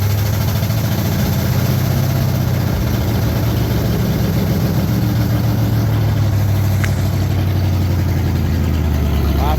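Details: 1968 Pontiac Firebird 400 V8, just started for the first time since 1986 after cleaning and gapping the points, with a temporary fuel source: steady, even low rumble at idle with no stumbles or misses; normal idle.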